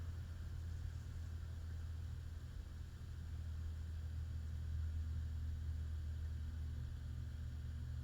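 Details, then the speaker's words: Hunter/Robbins & Myers Type 22046 Original vintage ceiling fan on solid state speed control, oil working in: low steady electrical hum with slight winding squeak varnish might quiet, no knocking; faint motor hum, suspected present without solid state too. "The little hum that I hear, I suspect, is there even without the solid It is. state."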